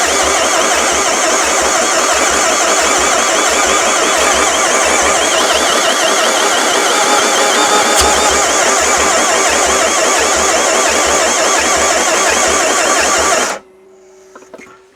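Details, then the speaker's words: Non-running Renault Master van, sprayed with brake cleaner while cranking: the starter churns at about three compressions a second for thirteen seconds and never catches; the owner suspects no compression, unconfirmed. "I don't I don't think that's got any compression of any sort by the sound of it."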